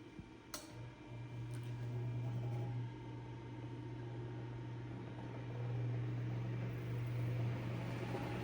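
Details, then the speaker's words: Eskimo 1005/1005R desk fan (McGraw-Edison, 55 W, 105-120 V AC), after repair: steady low motor hum with even soft whir, no rattle or scraping; normal running. "Well, looks like we got running again."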